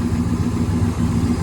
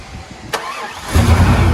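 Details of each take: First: 1997 GMC 3500, 7.4L Vortec 454, after replacing stuck-open cylinder 6 fuel injector that caused rich running and misfire; steady low V8 idle with even beat, much better than before, some unevenness from blown-out muffler. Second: 1997 GMC 3500 7.4L Vortec 454 running rich, fuel smell from exhaust, fuel pressure bleeding off after shutdown: cranks, catches, then a deep, lumpy idle with uneven pulses; cylinder 6 fuel injector stuck open, flooding the engine.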